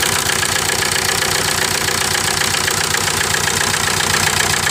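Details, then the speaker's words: 1998 VW TDI, about 500,000 miles, run on ~80–100% waste vegetable oil: uneven diesel idle with lopsided chuffing two or three a second, misfire and heavy blow-by; second cylinder low compression from stuck piston rings. "Kind of like a train, huh? That's all coming out of the motor. So what happens is it can't compress the whether it's vegetable oil or diesel, because the rings are closed onto the ring, so it's losing compression."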